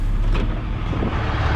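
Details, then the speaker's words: Diesel idling: a low rumble, then a short dull clunk as the transmission is shifted into drive; a suspected TCM problem, with the computer not connecting to the transmission. "listen to that it clunks into gear which is exactly what our 5500 was doing um so tcm problem"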